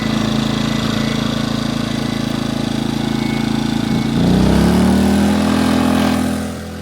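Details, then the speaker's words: EcoFlow Smart Generator dual-fuel model after a natural gas hookup: a steady, even idle hum, then revs rise smoothly to a higher steady tone when a 200 W load is plugged in. It runs high about 30 seconds before dropping back in eco mode, a normal load response. "Okay, that's going to run on high for about 30 seconds. It'll drop back down, but there's not really much of a load on it."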